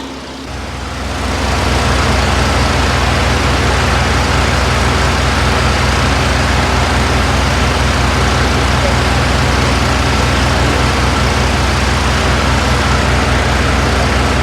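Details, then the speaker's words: 1983 Mazda RX-7 rotary, first running after two years, choke pulled, held just under 2000 rpm until operating temperature: steady, even raised-idle hum, no misses or knocks; normal fast idle on choke. "I like to try and keep it just under 2000 RPMs when I have the choke engaged it will automatically suck back in once it hits operating Temp and then you're good to go"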